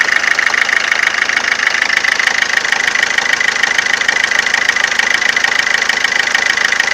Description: Abnormal engine noise of my Ford Fiesta 2007, 1.4 / 69hp TDCI version